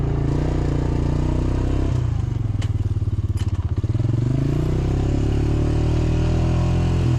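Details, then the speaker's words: Diesel engine of 307SSR excavator after overheating repair, deep steady drone dipping and recovering under load with bucket and dirt scraping; pulls evenly, water temperature steady, overheating fixed. "Okay, we've been running for some time now. We got this far and my water temp hasn't moved. My problem is definitely fixed."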